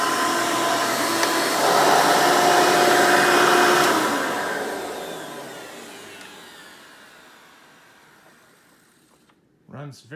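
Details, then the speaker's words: 1992 Hoover Elite II Total System Performance 650 upright vacuum, model U4689-910, original untouched motor: steady even roar, then smooth fading spin-down with no rattle or scraping; normal running. "nice and smooth definitely sounds good i didn't have to do anything to the motor when i bought it so that's one nice plus"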